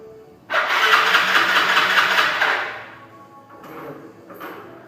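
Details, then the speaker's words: Yamaha Fino scooter cranked on the starter: engine spins about two seconds without catching, then two weak cranks; no-start from tight valves due to worn valve seats letting valves sink, fixed by valve adjustment. "สวัสดีครับวันนี้เราจะมา่าสอนเกี่ยวกับการตั้งวาล์วนะครับปัญหาของการตั้งวาล์วก็คือลถสตาร์ทไม่ติดนะครับ"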